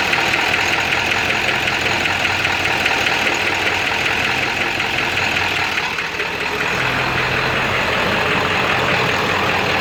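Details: Ford 7.3 diesel switched from high idle: rough, uneven idle with a heavy irregular knock that sounds like a rod knock; raw diesel smoke, EGTs good, no power; source unknown.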